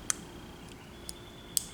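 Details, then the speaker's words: Smith & Wesson 637 .38 Special snub-nose revolver, slow double-action trigger pull: sharp, light clicks with a distinct crisp pair of stage clicks. The two-stage trigger works as designed. "now the smith and wesson i'm going to call this a dual stage trigger here double action and single action like that now this has double stage it will get two clicks"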